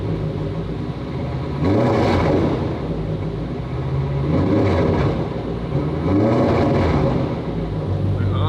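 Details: Three quick revs rise and fall with a coarse raspy edge over the exhaust note, typical of a holed pipe leaking under throttle; owner plans to have the exhaust checked.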